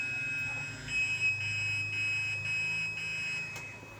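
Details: Godrej Fuzzy top-load washing machine: short steady high electronic beeps over a faint hum, no motor starting; beeps but never begins its cycle, connector complaint suspected at the control board.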